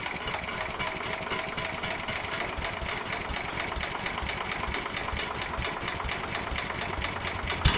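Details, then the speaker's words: 1967 Sears Suburban 10 tractor single-cylinder engine during restoration, running on a little choke with carburetor being adjusted, muffler loosely on: uneven loping beat, hunting speed; brake cleaner sprayed behind it changed RPM, revealing vacuum leaks to fix. "well I discovered an issue you I got some brake cleaning I shot it in behind here and it changed RPM when I did that so it's got um vacuum leaks so I'm going to take care of that"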